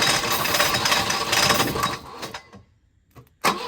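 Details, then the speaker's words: Volvo 242 abandoned in the woods, with ignition timing being set, suspected too far advanced or possibly 180 degrees out: engine sputters and coughs, revs surging then dying before a sharp pop, no knocking; rough running. "I don't know if you want to call that running, but it runs. It's not knocking or anything."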